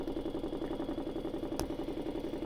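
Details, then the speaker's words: Vibratory pan apparatus at its isolated 11 Hz natural frequency, extra power added while holding 11 Hz: even steady thumping about eleven beats a second over light motor hum; normal resonant operation. "so here we go again and everything oscillating as expected and i can even add some more power to it and still keep it at that 11 hertz"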